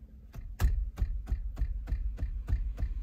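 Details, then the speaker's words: Toyota Prius cabin, nearly silent while driving on the electric motor at low speed: light, quick ticking buzz about three times a second from behind the instrument panel; loose metal plate rattling. "vendo essa pequena vibração inha alguma coisa vibrando ó e vem aqui do painel ó"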